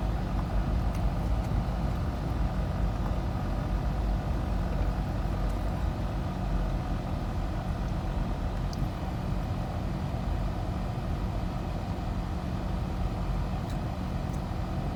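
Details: Nissan VG33E V6 petrol idling with a deep, uneven rumble. Rough idle attributed to a knock sensor code.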